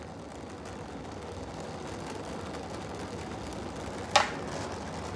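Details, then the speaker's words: Oxy-acetylene torch with a rebuilt regulator, gas welding: a steady soft hiss broken by one sharp pop. The flame was set a little too cold; dirty metal or a tip held too low can also cause popping. "i had it just a little too cold that's why it pops"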